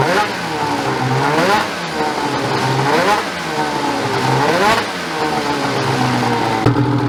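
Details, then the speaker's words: Ski-Doo 850 turbo-modded snowmobile two-stroke after reed valve failure and replacement: crisp, clean throttle blips every couple of seconds, no misfire or rattle; revs freely and runs healthy once fixed. "just like that boys we got her fixed once again"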